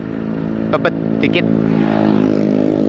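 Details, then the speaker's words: Honda Megapro Primus single-cylinder motorcycle with brake drag already fixed; carburetor to be tuned. Its idle thumps with an uneven, bobbing beat instead of a settled rhythm: unstable idle. "Nah kita merasakan pada saat bunyi Ini langsamnya kayak enggak stabil gitu ya"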